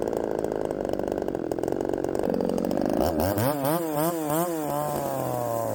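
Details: Poulan 3750 chainsaw, ported, exhaust just re-tightened after coming loose: screams at high rev, then speed surges up and down, won't settle; richening makes it load up; tuning unresolved.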